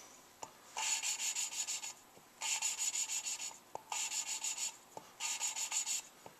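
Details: Lapping a new valve on a Suzuki Sidekick head rebuild. Four even bursts of hissy back-and-forth scraping, smooth and uniform with no heavy catch at the start of strokes, so the valve is properly seated.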